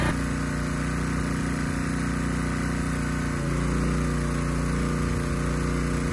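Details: Honda EG1400x generator after cleanup, fitted with a new air filter: even, steady drone that deepens slightly as the 750 W load comes on, with no misses or surging; healthy running.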